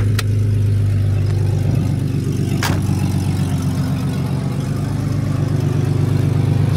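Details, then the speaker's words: Ford EF wagon from the scrapyard, 277,000 km, running on gas (LPG). Low, steady idle with a faint rapid puffing tick, about three per second, underneath; an exhaust leak. "super clean though got a bit of an exhaust leak it is on gas which kind of sucks"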